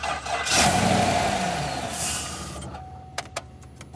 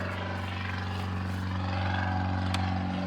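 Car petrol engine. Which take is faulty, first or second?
second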